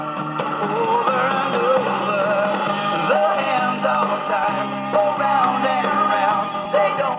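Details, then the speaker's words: Circa 1973 Panasonic RQ-236S AM/FM radio cassette recorder, about 42 years old, playing tape: music with slow wavering pitch, unsteady tape speed; runs wobbly and needs a new drive belt, radio sounds fine. "yeah it needs a belt job not a bad tape recorder for almost almost 40 years old"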